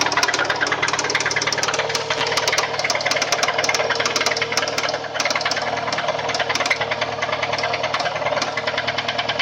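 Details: Subaru EJ204 engine running: sharp metallic knock about three times a second over the engine; rod knock, teardown confirmed a spun connecting rod bearing on cylinder one.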